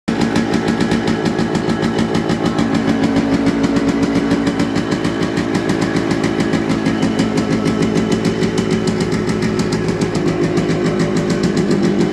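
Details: Yamaha RX100 two-stroke with original silencer: loud, crisp, rapid popping exhaust beats at idle with brief throttle blips and smoke; normal two-stroke idle.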